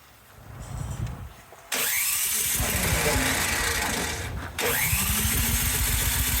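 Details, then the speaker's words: Cub Cadet 528 snowblower after carburetor work, electric starter whirs steadily but engine never fires, run switch found left on stop, possibly the cause; cranks but no start. "Let's give it a couple. Oh, it's on stop. Maybe that's why."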